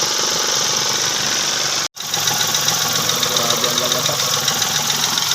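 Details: Idling engine with a quick, faint knock of about three to four beats a second under a hissy mechanical noise, attributed to low oil pressure.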